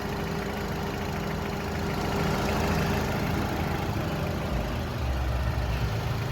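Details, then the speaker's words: 2006 Honda Accord coupe at idle after replacing the AC clutch whose magnet failed from age and overheating: steady faint hum at the front, no grinding or chatter; clutch and pulley spinning smoothly. "everything's spinning smoothly no noise"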